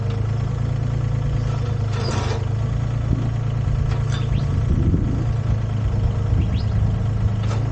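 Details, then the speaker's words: Used Komatsu PC10-3 mini excavator, SN 6097, hood down, at low idle: steady low diesel drone with light occasional clatter, even throughout; healthy. "That's the sound the machine makes at low idle. Just enough to keep the battery charged and not discharge it."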